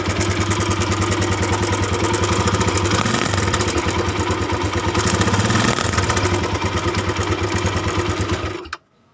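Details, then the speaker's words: Honda Tiger 200cc, recently fitted with a new cam chain and tensioner: rough, uneven idle with a loose clattering rattle. The cam chain cover area is to be checked. "suaranya lumayan kasar dan nanti kita mau cek area tutup keteng dipastikan kalau emang tonjokan keteng atau area keteng aja"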